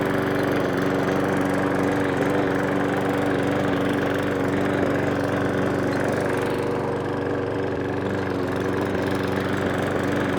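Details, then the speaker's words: Briggs & Stratton 500E lawn mower, serviced to fix surging, with a newer air filter, morning after repair: smooth, even hum holding one pitch with drive disengaged; pitch changes only under drive load; running healthy. "it's nice and steady there right once you engage the drive CU you're putting extra pressure on the engine you hear it change there there here changing but without the drive on"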